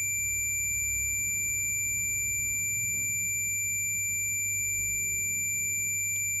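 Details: Refrigerator thermostat RC 94522-4 with its bulb in the freezer and the tester buzzer on its contacts, mic near the thermostat: a steady high-pitched continuity tone means the contacts are still closed, waiting for the cold to cut them out.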